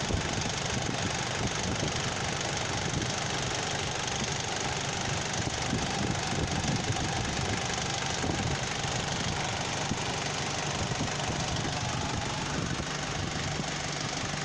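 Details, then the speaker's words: Car idling with AC on and the idle-up vacuum pot pulling the throttle to hold revs up: steady, slightly fast idle with no dips or stumbling; idle speed kept raised as intended. "ทำงานแล้วครับมันมาแตะที่ตัวคาเร่งแล้วครับก็คือมันจะดึงคาเร่งไว้ครับให้รอบมันสูงไว้ครับพอเวลาเราเปิดแอร์รอบมันก็จะไม่ตกนะครับมันก็จะดึงไว้อย่างี้ตลอดครับ"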